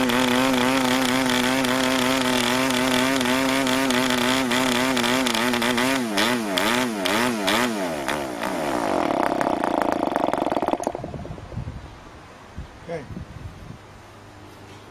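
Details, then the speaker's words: New PAW 40 TBR model diesel, first run on break-in fuel mix, 12x5 prop, clamp mount: buzzy engine wavers and surges, breaks up and dies after ten seconds, set rich and under-compressed. "oh that was rich and under compressed so i can see if i can fire it up again like that"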